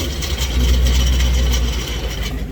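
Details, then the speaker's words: White 2019 Vortech-supercharged Mustang with stock exhaust after a decel burble-and-pop tune: deep V8 rumble with a loose, uneven tinny buzz; baffles inside the stock resonator (suitcase) have come loose and rattle. "what does that sound like to you sounds like the baffles and the components inside of the suitcase are rattling because the ping did a lot of rapid expansion and contracting based on the d cell burble and pop tunes by my exhaust is literally damaged"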